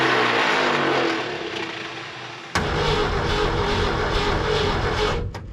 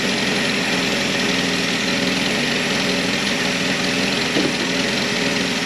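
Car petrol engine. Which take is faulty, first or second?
first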